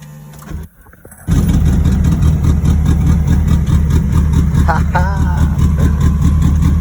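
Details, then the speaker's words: K-swapped turbo EF Honda CRX, crank-no-start now solved, on a cold day. Catches almost instantly after a brief crank, then settles into a steady, even low idle with no misses or knocks: normal start and idle. "look how quick this bridge starts"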